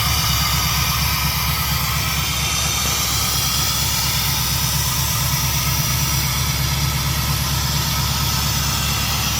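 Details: Chevy C-10 shop truck V8, first start after a Royal Flush exhaust replaced the Killshot: a loud, steady idle with an even low beat and a strong hiss on top, no misses or stumbles, running normally.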